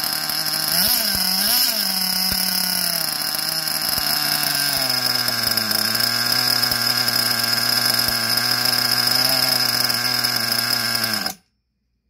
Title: SH .21 Nitro engine running rich